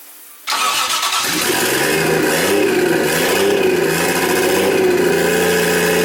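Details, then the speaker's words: Nissan 240SX S14 with swapped 1JZ engine, first start in about a year and a half, vacuum lines not yet hooked up; cranks briefly, starts right up, then settles into a lumpy, slightly hunting idle with wavering tone, rough likely from open vacuum lines. "I'm sure I haven't hooked any vacuum lines up, so Yeah. it's probably pretty vacuum, but it runs."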